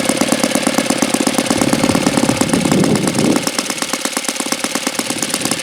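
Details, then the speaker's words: Saito FA-82a four-stroke model engine, very low-time and not fully broken in: even, steady popping beat at low idle with no misses or surging; idles extremely well, normal healthy idle. "But I mean, even not being fully broken in, this thing idles extremely well, as you could see."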